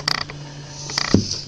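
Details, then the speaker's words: Kodak EasyShare Z612 camera filming a Dell Latitude D620 laptop: faint irregular ticking and small creak over quiet room hum, a "cricketing" noise as the lens motor hunts and the camera won't stay in focus; autofocus hunting noise. "The camera doesn't stay in focus. Why? I don't know. It keeps making this cricketing noise. I can hear it, and you can definitely hear it during the video."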